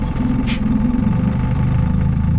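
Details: Outboard on a $700 auction boat at full throttle on the lake: loud, uneven, stumbling and spitting, misfiring; the owner suspects it needs carb tuning or time to burn deposits off.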